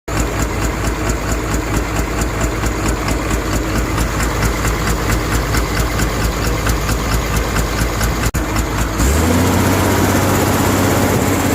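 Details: Komatsu excavator diesel engine with abnormal sound and smoke: loud running with a rough rhythmic pulse about twice a second, then the note shifts; irregular, unhealthy-sounding engine; abnormal engine noise.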